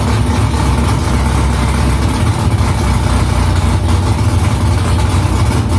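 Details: First start after new headers were installed, exhaust back under the car. Deep, steady V8 idle with a loud, even exhaust rumble, no ticks or leaks. Smoke is from silicone drying around the header. Normal idle.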